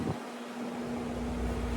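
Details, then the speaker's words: Window AC unit after cleaning and removing a dirt dauber nest from the fan blade: steady even hum with smooth airy fan rush, no vibration, brief water sloshing stopped; normal running. "I don't know if y'all can tell, but this air conditioner's running smooth now. It ain't vibrating."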